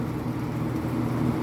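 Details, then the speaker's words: Vintage early-mid 1980s Lakewood P-223 20-inch three-speed box fan with McMillan motor, on high: steady fan roar with a low buzzy rattle from loose threaded studs; owner thinks the blade is also slightly off balance. "threaded stud things rattling I think the Blade's a little bit off balance too"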